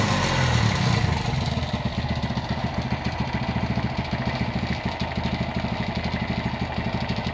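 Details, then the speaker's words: Honda GL100 (GLK 100) engine awaiting restoration, idling with a busy, uneven clatter over the low thump, noisy at the clutch side while the top end and head sound smooth; engine also smokes and leaks underneath. "Ini kendalanya seperti yang tadi kita dengar, suaranya berisik di bagian kopling ya. Eh, dan untuk bagian atas atau blok head itu cenderung halus malah ya."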